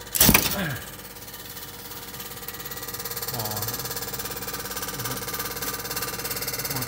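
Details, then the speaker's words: Ceiling-mounted home air conditioner loud when switched on: thump then steady droning hum with fine buzzing rattle; fan motor rubber anti-vibration mounts worn, torn and melted. "ดังนะครับยางมอเตอร์สึกยางละลายแคปไม่เป็นไรนะไม่แน่ใจถ้าเป็นแค่สตาร์ทได้หรือเปล่า"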